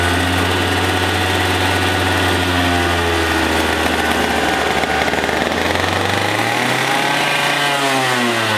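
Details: Two-stroke racing go-kart engine, displacement unknown (60, 85 or 100cc), unused for years, running after a starter rebuild and spark and fuel troubleshooting. Steady crisp buzz, then smooth rev climb with no misfire: normal running.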